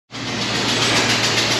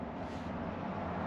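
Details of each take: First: 1996 Land Rover Discovery V8 after fuel pump replacement: sharp rapid ticking puffs over idle, tracking engine speed; compression leaking past head gasket, fixed with new head gaskets and ARP studs. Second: 1996 Land Rover Discovery V8, revived from non-running, low miles, with new plugs and wires, new head gaskets with ARP studs and new oil pump; low steady even burble at idle, no knocks or ticks, healthy.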